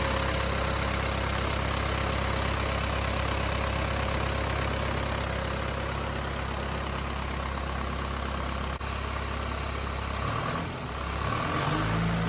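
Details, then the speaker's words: Cummins 4BT diesel in a Power Wagon, first start since 2015 after long storage: steady, even low diesel clatter at idle with no knocks or misses, settling smoothly; engine starts and runs perfectly, normal healthy idle. "well i never doubted that it would start and run perfectly but it was really good to hear it"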